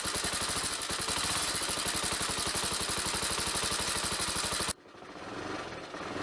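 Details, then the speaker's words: Honda CBX125, stationary: at raised revs a harsh rattly clatter rides over the firing beat, then cuts off sharply; abnormal noise while revving, owner first suspected low fuel and topped up. "停止してても、エンジン回転数を上げると、変な音がする。この音の原因、わかりますか？"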